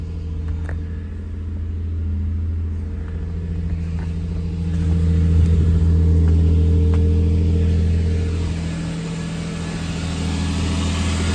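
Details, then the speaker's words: 2005 Lexus IS300 with HKS cat-back exhaust, new alternator and plugs, first start after a long sit: smooth, even low idle with a gentle rev, no knocks or misses; normal idle and rev. "she fired up it's been a long time so she's got a hide all she's figuring herself out"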